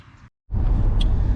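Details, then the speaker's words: Audi RS7 after cylinder 5 misfire fix by re-gapping the spark plug, reassembled: after a brief cutout the engine settles into a steady, even low rumble with no stumble; normal idle, check engine light still on. "all right uh our car is all together it sounds normal um it's driving normal"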